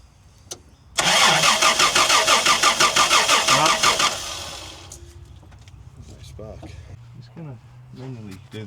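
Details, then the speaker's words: 1990 Toyota LandCruiser petrol engine that sat for years under a tree, cranking during a spark check. Rapid, even cranking for about three seconds with no firing; no spark seen, and the owner suspects the points aren't closing. Crank, no start. "See if she's got any spark here. That light down. Yep. No."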